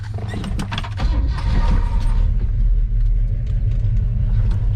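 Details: 1968 Pontiac GTO, 389 V8 with tri-power carburetors, headers, dual Flowmaster exhaust, 4-speed manual: starts within a second and settles into a deep, loping, even idle.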